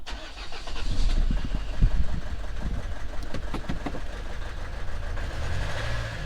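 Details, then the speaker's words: Renault Trafic diesel cold start after cleaning terminals; lumpy, uneven clatter that stumbles and surges, service light flashing and glow plug light staying on; running rough, owner suspects an injector, EGR valve to be checked. "so you can hear how rough it is we've got the service light flashes and the glow plug light stays on"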